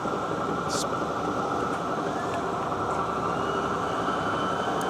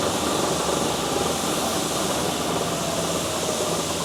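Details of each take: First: South Bend 14-inch swing tool room lathe, 480V 3-phase: loud dense gear clatter and whir from the gear driving the lead screw, while the spindle itself runs smooth. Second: South Bend 14" swing tool room lathe, 480V 3-phase: the spindle gives a steady, even, smooth whir with no knocks or rising whine. The gear driving the lead screw is noted as quite noisy.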